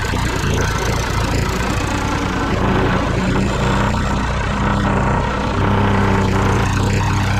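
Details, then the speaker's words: Rebuilt Tecumseh lawnmower engine assembled with a known-bad loose connecting rod and worn crank, primed and run: loud, rough, uneven knocking clatter; connecting rod knock. "Yeah, we got a little trouble. I think that knocking is that connecting rod. Yeah, you hear that talking? That ain't going to last long. That connection rod too loose."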